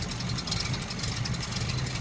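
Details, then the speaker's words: 1936 Rolls-Royce 20/25 six-cylinder idling: soft, even low hum with light steady ticking on top, no knocks or misses, remarkably quiet. Autovac fuel pump fitted. Normal, healthy idle. "Just unbelievable, and just so quiet. Just so quiet."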